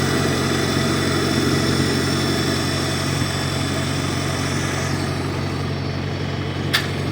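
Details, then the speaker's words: 1953 Farmall Cub tractor after refilling low hydraulic fluid (about 40 oz NAPA tractor hydraulic transmission fluid): even steady idle, smooth low beat, earlier high-pitched squeal gone, sounds a lot better; normal running. "sure has gone that high-pitched wheel that we heard squeal that we heard earlier is certainly gone [Music] [Music] [Music] sounds a lot better"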